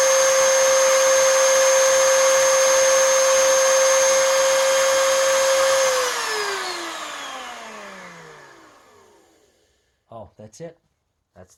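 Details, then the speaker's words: 20-year-old Oreck XL2800 vacuum motor after bearing repack and carbon brush seating with a seating stone: a steady, clean high whine with no rattle or scrape, then a smooth coast-down to silence. Normal motor run. "of what I want nice that is nice and smooth and keep in mind most of this motor is still 20 years old"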